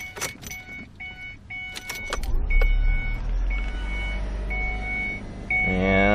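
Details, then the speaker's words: 2006 Ford Escape Hybrid after no-start repair and clearing all codes, left running to charge the system until it goes into EV mode: warning chimes, then engine fires and settles into a steady, even hum; running normally. "we'll let it run let it charge the system a little bit till it goes into EV mode"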